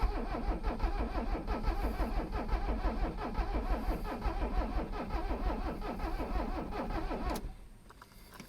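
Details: Abandoned Mercedes 300CD diesel after long storage, being revived; injector lines cracked open at the 17mm fittings for bleeding: steady starter cranking about three beats a second for seven seconds, never catching, then stops. Cranks, no start; cause not confirmed.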